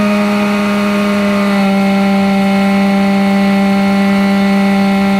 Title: Webasto macht Geräusche / strange noises